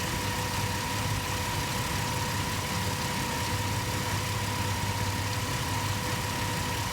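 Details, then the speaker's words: 2004 Ford Explorer 4.0L V6 with a new Bosch AL7543N alternator, idling with hazards and high beams on: a steady high whine over the idle as the lights dim with each hazard flash; the alternator is defective. "if i watch these headlights right here i mean it's clear as day you can see the headlights and the high beams dimming every time the four ways turn off and you can kind of even hear it in the alternator"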